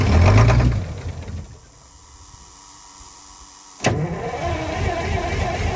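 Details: Old diesel truck, cold weather, fitted with muffler: short cranking burst, pause, then catches fast into steady rumbling idle; starts right up after new batteries replaced weak ones.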